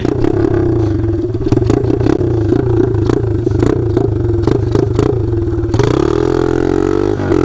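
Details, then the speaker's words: Taotao DB17 125 pit bike running under load with no exhaust: a loud, raw, crackling single-cylinder bark with sharp pops; the rider worries straight piping may break the motor. "dude this thing sounds amazing now"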